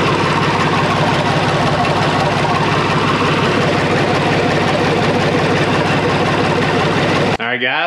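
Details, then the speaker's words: International 484 tractor, D-179 three-cylinder diesel, after valve lash adjustment, running with valve cover off: loud steady idle with even clatter, no irregular tapping; normal idle, sounds better than before. "sounds good and sounds a lot better than it did before uh adjusted those valves"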